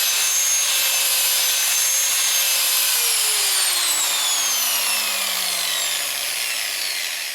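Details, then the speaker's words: Porter Cable PC60TPAG angle grinder, about 7 years old, running before brush replacement: a high motor whine that wavers and sags in pitch and never reaches full speed, worse when grinding; worn carbon brushes. "now here it is running you can you should be able to hear that the sound is weird not up to"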